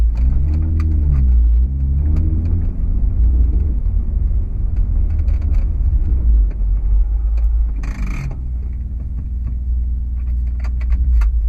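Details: 2008 Honda Accord coupe on BC BR coilovers, driving: sharp knocks over each bump from the rear coilovers since installation; end links, sway bar, bushings, top nut and mounting bolts ruled out.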